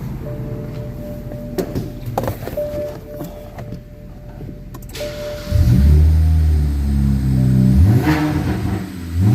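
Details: 2009 BMW 335i after overheating from a failed water pump and a no-crank no-start, fixed by replacing a broken corroded engine ground strap: catches promptly after a short crank, revs cleanly and settles to a smooth steady run.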